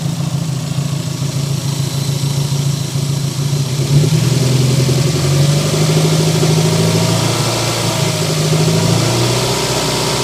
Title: Mr2 not running right misfire popping from the exhaust on idle